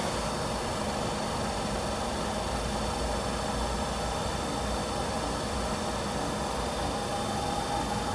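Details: Diesel heater with error E-06 (fan not turning or no fan signal), left running after a shutdown attempt: even, steady fan rush with no combustion roar or pump ticking, because the controller can't detect the fan speed; it later fires up on its own.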